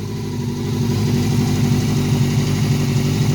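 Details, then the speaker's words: 1989 Honda CBR600 Hurricane, first start in 5 years after clogged carburetor jets were cleaned: steady, throaty four-cylinder run with an even pulse and no knocks or misses, still needing minor tweaks; normal running. "cleaned her up she needs a few little things to be tweaked but look got it non-running and look at that she item and beautiful"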